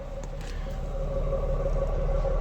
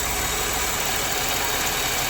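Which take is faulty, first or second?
second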